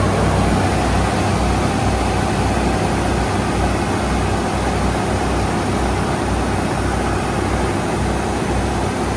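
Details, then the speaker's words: 1987–1995 Ford F-series truck, 5.0/5.8 V8 with fuel injection, after throttle position sensor work for hard starts, stalling and rough idle; cold start, warming up: steady, even fast idle with no stumbling or dips, buried under a lot of hiss. "Should idle down here in a minute. We're going to let it warm up a minute."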